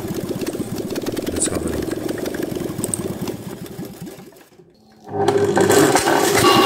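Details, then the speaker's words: Fiat 126p 650 cc twin idling with timing cover removed, camera at the front on the timing chain; fast uneven light clatter, about three per second, from a worn, stretched timing chain slapping. "And look, the engine spins. Crankshaft and camshaft spins, and have a look how worn is the timing chain, what kind of play it put upside"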